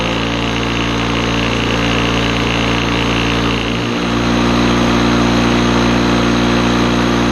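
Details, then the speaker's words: Old Lawn-Boy two-stroke mower on mixed gas, started after carburetor-cleaner cleaning, air filter missing: a high buzzy drone that sags briefly mid-run then picks back up; still running rough. "we want to take it elsewhere because it is running rough and I don't want it fling all kinds of crap at my house"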